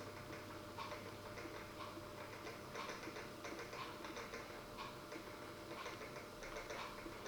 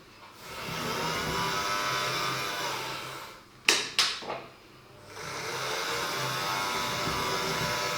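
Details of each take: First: Dapol Class 09/08 O-gauge shunter at slow speed after greasing the main gear and running-in on a rolling road: faint soft ticking with a light gear whirr, even and not binding. Noise is slightly quieter and it runs and crawls well. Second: Dapol Class 09/08 O-gauge shunter running on track at about 45% after grease on the main gear and 30 minutes of running-in each way at 40%: steady high whirring whine with brief clicks; the drive gear still sounds about as noisy.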